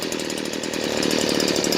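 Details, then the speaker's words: Stihl BG56C 27cc 0.9hp two-stroke leaf blower, warmed up, low-speed screw turned fully left: raspy, uneven, labouring, pulsing running with dropped idle; boggy idle from misadjusted low-speed carburetor screw, about half a turn from running right. "Alright, so if we turn it all the way to the left, notice it's boggy and the idle has dropped."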